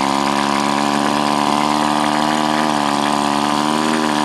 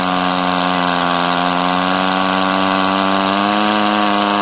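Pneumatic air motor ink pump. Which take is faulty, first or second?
first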